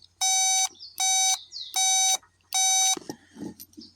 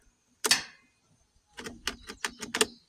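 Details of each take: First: Kubota B26 tractor no-start: safety/seat switch continuity test with meter probes gives four even high beeps, about half a second each, as the button closes the circuit; switch is good. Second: Kubota B26 tractor no-start: key on gives quick burst of sharp dry clicks from the shutoff solenoid clicking on and off, no starter click, no cranking.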